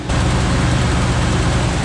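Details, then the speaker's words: Squarebody Chevy C10 engine after slotting the accessory bracket, running with the power steering pump off: steady deep drone, no squeal, chirp or grinding from belts; accessory drive noise gone, a warm-up ticking fades. "The noise is gone for now."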